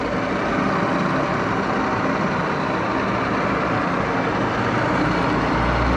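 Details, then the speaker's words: 1941 Axelson 24-speed direct-drive lathe, idle up to five years, headstock oil circulating, in gear about 300 rpm with clutch engaged: even steady gear whirr and hum, no knocking or grinding; headstock sounds fine. "okay let's start it up got it in gear i think about 300 rpms or so pull the clutch here i think that sounded pretty good"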